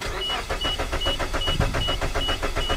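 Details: Suzuki with a misfire despite owner-replaced coils and plugs; mechanical problem suspected. Starter cranks the engine with a steady, even chug, about five beats a second, no uneven compression strokes: even cranking rhythm, so a vacuum leak is suspected instead.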